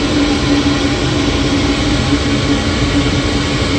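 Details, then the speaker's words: Midco gas burner being hot-wired on a Slant Fin Intrepid steam boiler, lit after 30-second pre-purge: steady loud rushing roar with faint constant hum, no pulsing; owner thinks it is way over-fired. "i think this thing is way over fired so here we got a 30 second draw for ignition and you'll hear this thing fire off yeah i think that's over fire"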